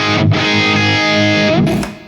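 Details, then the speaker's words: Carvin MTS 3200 tube amp whose drive channel had lost its tone, playing with moderate drive: a clean, full distorted guitar chord ringing out and decaying without hum, crackle or fizz; the drive channel sounds acceptable. "that's quite acceptable"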